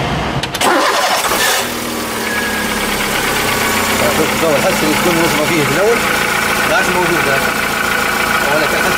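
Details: VW Polo 4 engine after repair, with the broken accessory belt replaced: it cranks, catches and settles into a smooth even idle with no squeal or chatter, the belt drive running clean.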